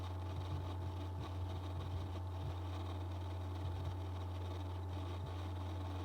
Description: Hi everyone, so my 2019 15 inch MacBook Pro is making this odd buzzing sound when the CPU is under load. I am not sure if the CPU is the thing that is actually making the sound. Maybe the GPU?